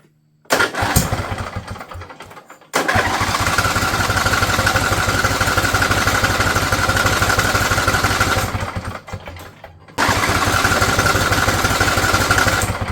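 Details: Husqvarna riding mower, Briggs & Stratton Intek V-twin, over 900 hours, new battery: three cranking bursts of fast even chuffing that never catch; cranks but won't start, owner unsure why, water found everywhere, cause not confirmed.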